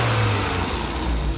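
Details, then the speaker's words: Car after home-cleaned fuel injectors, cold engine, with snap throttle blips at idle. Revs rise strongly and fall back smoothly with no stumble; it responds well. Before cleaning it had a slight misfire under acceleration in 2nd and 3rd gear on hills. "não deixou acelerar de uma vez para ver como é que comporta ó tá obedecendo bacana de novo de uma vez só"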